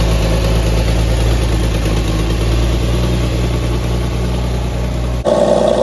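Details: 1964 Dodge Dart station wagon, 170 slant six with push-button automatic, revived after 25+ years parked outside: steady, even low idle, loud as if unmuffled, no misses, knocks or rattles, all cylinders firing; normal idle.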